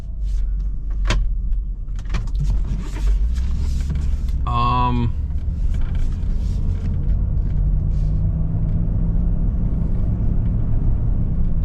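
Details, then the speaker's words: Jeep Grand Cherokee WJ after sitting dead in a yard, test drive at about 20 mph through first, second and third gears: steady low road rumble, no axle or gearbox whine or growl; front and rear axle bearings judged fine. "Man, and honestly, I do not hear front or rear axle screaming. Now, we are only doing 20 miles an hour, but normally, if the bearings are gone, you're going to already hear them at 20 mile an hour, and I don't"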